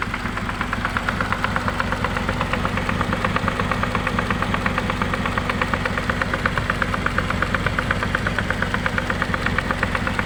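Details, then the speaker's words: Honda CR-V gen 2 automatic transmission after first reinstall, drives forward and reverse: steady rough knocking about three per second over idle from the transmission; chipped gear and a shaft not seated from an earlier teardown. "Nah jadi kemarin itu waktu kita hidupkan mesinnya terdengar suara kasar di bagian matic nya Nah untuk setelah kita naikkan kemaren ya sudah maju bisa maju bisa mundur ternyata suaranya kasar untuk suara kasar itu seperti ini ya teman-teman"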